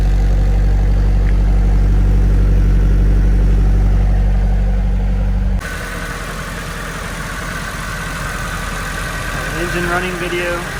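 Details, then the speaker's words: Low-km (54,000 km), basically stock 1999 Nissan Silvia S15 Spec-R idling: deep, regular low burble of about four pulses a second with no ticking or rough misses; exhaust and idle sound healthy. "Exhaust sounds fine. There's no weird idling or sounds."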